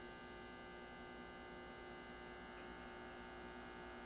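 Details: 1934/35 Grunow 501 five-tube transformerless tabletop radio, powered up slowly on variac around 90 volts: steady low hard-edged buzz from speaker, horrible mains hum; cause suspected, not confirmed, tube 78 swapped for 6C6 next.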